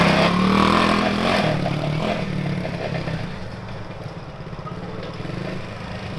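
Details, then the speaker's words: Coleman CT200U mini bike freshly swapped to a 110cc ATV engine on the factory sprocket, riding: the single pulls hard with a loose metallic chatter over it. The front fender is rattling at its bracket; nylon washers are planned to stop it. "Boy, that fender sounds so bad. Yeah, the front fender's rattling. We need to put some nylon washers in between the bracket and the fender to make it stop rattling."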